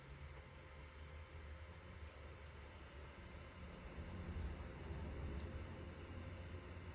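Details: Hikvision unit after fan replacement: faint steady low hum from the new small cooling fan, quieter than the intolerable old one though not silent, no rattle, ticking or bearing scrape; runs normally.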